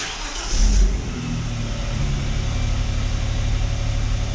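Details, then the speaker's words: Vauxhall Omega 2.5 V6 after fixing coil pack issue (previously no spark on two cylinders): catches quickly with short rev, then settles to smooth, even idle with no stumble; running on all six cylinders. "good that sounds better that is running all6 cylinders thank goodness for that"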